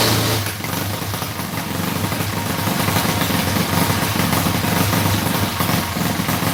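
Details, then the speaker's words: Freshly assembled Predator 212cc engine after flooding: loose, uneven single-cylinder running with wandering beat; builder can tell carb jetting is way out of whack and plans to inspect it. "All right, well, she pulls some fuel. Now I gotta start it up. That's basically flooded."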